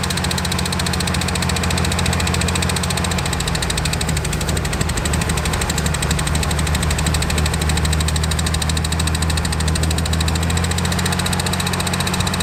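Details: Land Rover Series 1 six, sat unused for years, first running after revival; steady, even idle with a firm low drone and no misses or knocks, running normally.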